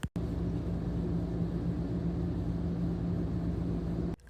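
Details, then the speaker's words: Ducted Furrion RV rooftop air conditioner after fitting an AC silencer: even low hum and soft steady airflow with no rattles. It is much quieter than before the modification. "we've had this in installed for a few weeks now and it's so much quieter we love it we can actually watch TV or take phone calls while the AC is running"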